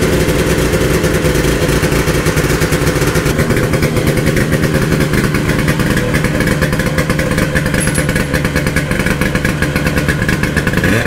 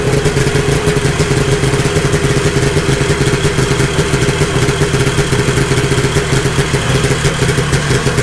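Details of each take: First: 1972 Ski-Doo Nordic 440 two-stroke snowmobile after a full engine rebuild, new plugs and carb adjustments, driven at steady speed: loud, ragged, uneven burble that never smooths out, starving for fuel from a partly blocked pump. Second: 1972 Ski-Doo Nordic 440 snowmobile with a fully rebuilt two-stroke engine and a preliminary carburetor adjustment, cold started after a week sitting. Loud, even drone holding steady speed with no misses, surging or clatter; running properly.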